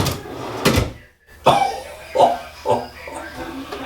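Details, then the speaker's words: KV8400 full-extension ball bearing drawer slide after the install was corrected (drawer runner setback set, 1/8-inch spacer, no bumpers): light clicks as the drawer runs in, then one soft stop with no rebound; the old bounce-back is gone. "That is so sweet. Get rid of that stupid bounce back that was in these drawers"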